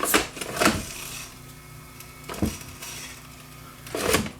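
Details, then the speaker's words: Viking SC5894 8-track cartridge recorder playing an old cartridge with deteriorated foam pressure pads: faint motor drone with loud irregular clacks every second or two; it turns but the tape seems jammed or trashed, sounding pretty bad. "Is the tape itself going to move, or is the tape itself trashed? Let's see. It doesn't sound good. It actually sounds pretty bad."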